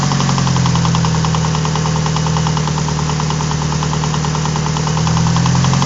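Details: Warm-idling Mitsubishi 4G63 Evo 4 petrol engine with a steady sharp knock about three times a second, louder up top than under the car, worst warm with aux belt off; crank walk, rod bearings and timing checked fine, cause unknown.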